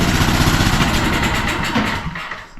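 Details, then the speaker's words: Generator that sat outside in snow and wouldn't start; after a little fuel is added directly, it gives a brief burst of uneven firing that fades within two seconds, running only on the primed fuel, so the fault is fuel delivery. "Hey. It's a fuel thing. And because it just did that, there's no reason to check for spark or compression. We know it has it."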